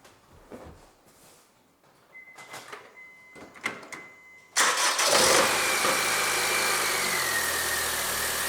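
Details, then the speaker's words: 2008 Honda Civic 1.8 that had cranked but would not start, after the repair of a loose bolt holding a cable to the engine block: quiet clicks, then it catches cleanly and settles into a steady idle with a faint falling whine; normal start and idle. "and now I go to start my car that we can hear that how this engine really starts"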